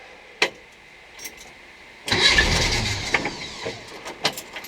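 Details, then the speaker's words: VW Bus with 1600 engine, first key start after installation (previously no-crank issue): clicks and knocks, then it fires and runs with a rough, uneven patter; some leaks and rubs, suspected intake leak. "what oh my god you guys it runs it's got some leaks and some rubs it sounds like oh my god it runs the bus runs you guys oh my god how exciting is that"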